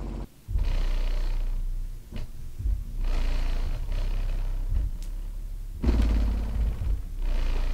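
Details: Skar SDR 18-inch dual 4-ohm subwoofer wired to 2 ohms on a 900 W amp, free-air test after cleaning out sawdust: deep bass pulses clean and even, no popping or cutting out; earlier popping at 25–28 Hz, possibly a connection problem, now fixed.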